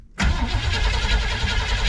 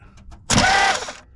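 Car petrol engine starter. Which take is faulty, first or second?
second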